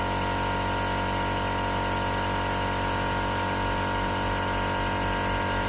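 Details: 2015 Jeep Grand Cherokee Overland Quadra-Lift air suspension, compressor replaced and fault repaired (codes C156E, C15D9): steady, even hum with no stumbling or pitch drop as the vehicle rises; normal compressor operation before calibration.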